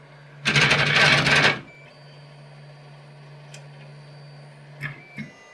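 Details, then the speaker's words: Malyan M150 3D printer X axis auto-homing: a harsh buzzing rattle for about a second, then a quiet hum. The stepper motor is stalling because the GT2 idler pulley bearing is seized so hard it can't be turned by hand; the fix is replacing it. "now this is well and truly seized I can't even turn that by hand really so no wonder the the stepper motor was was stalling there and making that awful racket"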